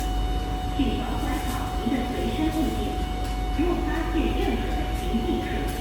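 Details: SMRT Kawasaki CSR Qingdao Sifang C151A train 543/544, car 2544, running Expo to Tanah Merah: a steady high jet-like drone over the train's rumble; abnormal air-conditioning noise. The same car also has bad suspension.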